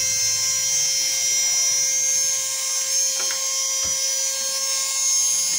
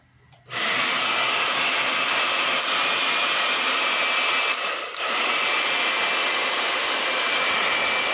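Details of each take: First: Slow hair dryer, opened with casing off: steady thin high whine with no rise in pitch, motor turning sluggishly; dry motor bearings need lubricating, later fixed with spray. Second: Hair dryer that had been running slow, after being opened and reassembled: after a quick spin-up it settles into a steady, even rushing airflow with a smooth motor tone; the dryer is running normally.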